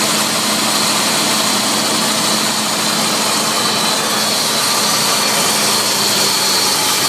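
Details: 2002 Nissan Xterra with supercharged VG33ER engine, under the hood at idle: loud steady high-pitched whirring hiss over a faint low hum; owner suspects the supercharger, unconfirmed.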